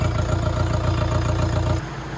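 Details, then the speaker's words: Hydrolocked engine after water was cleared and injectors retightened, running on a lift and starting within half a crank, engine oil change due next day: steady, even idle with a smooth low rumble and no knocking, then shut off. Normal idle, no problem. "तो भाई finally गाड़ी बिल्कुल okay engine में कोई problem नहीं है"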